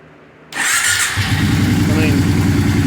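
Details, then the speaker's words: 2004 Kawasaki Brute Force 650 V-twin ATV with a no-start and carb backfire issue, partly disassembled down to the carburetors: cranks, catches within a second and settles into a steady, even idle; now starts, cause of the intermittent no-start unknown. "I have no idea what's wrong with it because it's now all of a sudden it starts and runs so I baffled"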